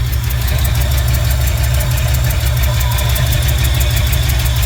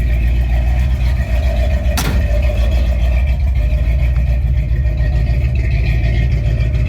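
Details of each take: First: 1968 Ford F100 360 V8 with Flowmaster mufflers, idling on its own after a rebuilt Motorcraft 2150 carb fixed its surging idle: sharp, fast ticking in time with the firing; exhaust manifold leak, probably to be fixed next. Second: 1968 Ford F100 360 V8 with a rebuilt Motorcraft 2150 carb replacing a knockoff that caused surging idle, Flowmaster exhausts: a deep, even idle with no hunting, though an exhaust manifold leak is audible. Normal idle.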